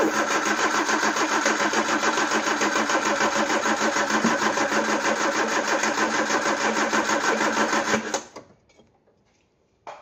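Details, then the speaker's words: Peugeot 309: even starter churn at about three turns a second for eight seconds with no firing; cranks but won't start; suspected fuel delivery, with the camshaft-driven pump needing higher cranking speed and the battery low. "Not having much luck here, are we?"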